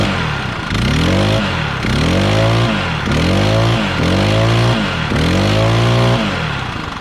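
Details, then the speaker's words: Stihl BR800X backpack blower after valve adjustment: repeated throttle blips with a deep, throaty exhaust note and no misfire, how it should sound; before adjustment it had grown higher pitched. "you hear how it has that real deep like throaty sound that's how it should sound"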